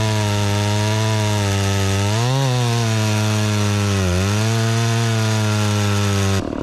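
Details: Dolmar 112 chainsaw with an 18-inch bar and sharpened chain, bought at a garage sale, started cold and cutting wood: a high steady two-stroke scream that dips briefly in the cut and recovers quickly. It pulls strong under load.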